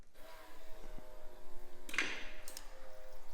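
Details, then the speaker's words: Off-road vehicle electric fuel pump after wiring reversal fix: quiet hum then short soft hiss of normal prime before cranking; no leaks. "Oh, it did a prime pump. Nice. That was sweet. It does a little psh before you hit start."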